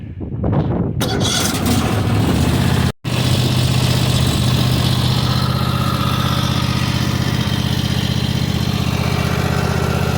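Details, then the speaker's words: New 2022 Cub Cadet XT1 ST54 riding mower, start-up: catches within a second, settles into a steady even drone with smooth low beat; maybe slightly louder than old Briggs & Stratton Craftsman; normal running. "It might be a smidge louder than what my Craftsman was, which has a Briggs & Stratton in it. But to be fair, it sounds just like every other mower I've ever used before."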